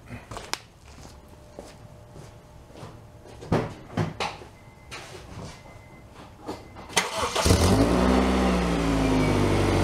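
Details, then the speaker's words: 2001 Honda CR-V petrol engine started for yearly inspection, firing up loud and raspy from an exhaust leak; sway bar link and tie rod issues also noted. "all right so let's take a look [Applause] you can hear the exhaust leak we got a fix and a tie rod issue"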